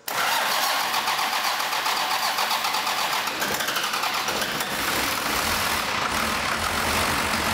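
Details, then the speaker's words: 1985 Dodge Ram W350 crew cab dually swapped with a 5.9 Cummins 12-valve diesel, first start after apparently sitting several years: catches at once, then harsh, uneven, wavering clatter; rough running, owner suspects injection pump timing needs adjusting. "it's not sounding 100% but well that's good anyway at least it runs I know it runs it doesn't R sound good"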